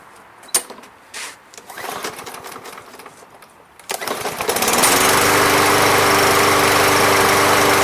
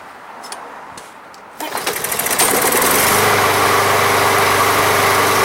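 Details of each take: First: Briggs & Stratton MTD lawn mower, previously a non-runner, after a Seafoam treatment: after handling noise, a pull-start catches into a steady, even single-cylinder drone with no misses; runs smoothly. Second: Briggs and Stratton lawn mower (MTD), no primer, non-running: after a quick spray the engine catches and runs with quick even firing, only on the spray, so fuel isn't reaching the carb.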